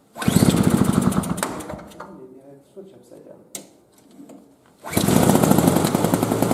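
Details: 2003 Murray single-stage snowblower, first run after sitting about five years, previously reported leaking gas. The small two-stroke fires and revs with a fast, even buzzing beat, dips back, then revs strongly again. It runs normally.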